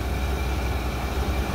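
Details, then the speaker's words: 1995 Suburban V8 (OBD-I) after replacing a leaking throttle body gasket that set the check engine light: low, steady rumble with no hunting; smooth idle, problem fixed. "it's fixed problem solved nice smooth idle problem is solved"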